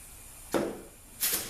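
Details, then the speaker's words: ZF5HP24 automatic transmission being rebuilt for no reverse when hot: bench air check of the E clutch before it goes into the case gives two clean hissing pressure releases with no leak, so the clutch applies and releases normally. "Yep. You can hear the pressure release."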